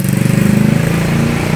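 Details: Honda Beat ESP injection scooter after repairing a corroded black 12 V standby wire to the ECU that had killed the fuel pump, ignition and speedometer: quick, even single-cylinder putter, about 14 pulses a second, no misses; healthy idle.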